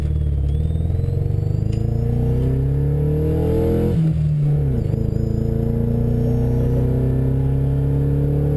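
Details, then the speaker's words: Homemade plasticine-bodied car on the road: low engine drone rising and falling with throttle, lumpy and stumbling under load; engine misfiring badly, owner suspects a bad wire. "Yeah, now she's misfiring kind of bad. Yeah, one more thing needs to be done."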